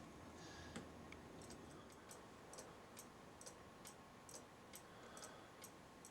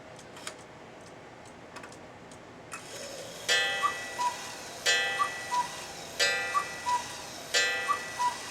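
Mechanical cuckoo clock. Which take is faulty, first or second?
second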